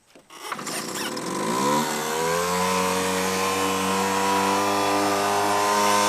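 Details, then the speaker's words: Sears 1.2 HP air-cooled outboard, over 38 years old, on a boat alongside a trolling motor: engine catches after a pull and settles into a steady, even two-stroke buzz with no misses; runs like a champ. "I got both both Motors going and I'm moving"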